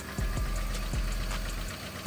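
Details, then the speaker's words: Cheap Copart truck, jump-started at idle, heard under the hood: rough idle with scattered light ticks and dull knocks; owner suspects cam phasers, known issue on these engines as miles go up, unconfirmed. "I hear some sort of ticking take a listen so I hear some sort of ticking under the hood as it's running"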